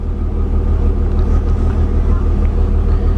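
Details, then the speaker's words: Mercedes W201 190E, new central locking/orthopaedic seat vacuum pump (A1248002848) inflating the seat back chambers: smooth, steady low hum with even pulsing and slight hissing, no rattles or strain; normal pump operation. "So I'm going to pump that all the way up. You might hear that actually hissing."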